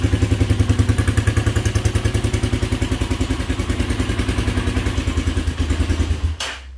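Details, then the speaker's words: Motorcycle with intermittent fault, chokes at 6,000–7,000 rpm and stalls: on startup even thumping idle about three and a half beats a second runs a few seconds then abruptly dies; engine won't keep idling. "ahí se apagó ya ahí se apagó se apagó de la nada no se mantiene"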